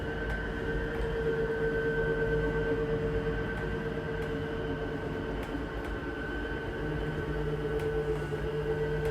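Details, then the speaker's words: 2023 Jayco Jay Flight 294QBS slide-out: steady motor whine while moving, then a brief harsh gear-grinding clatter at full extension or retraction, normal and meaning fully out or in. "Once they hear that little gear grinding noise, they start to freak out, but that just means you're fully extended or fully in."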